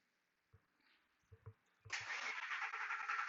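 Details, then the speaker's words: 2003 Ford F150 Harley-Davidson 5.4, PCM at about 110 degrees after heat-gun warming: faint thumps then steady starter whir, engine won't catch; long crank no-start, technician now fairly sure the PCM (engine computer) is the intermittent fault. "Okay, now we got the long cranking. Okay, that's it. All right, guys, I think I am pretty sure now the computer is the issue."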